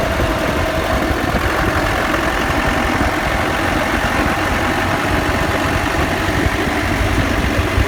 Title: Defender diff whine/rattle/grinding noise after lift